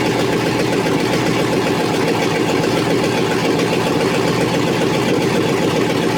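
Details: Chevrolet TrailBlazer SS 6.0 LS2 V8, first start after rebuild (new crank, main, rod and cam bearings, Trick Flow cam, gaskets, seals), manifolds not yet connected to exhaust; loud raw bark at steady idle, no knocks or misses; normal idle.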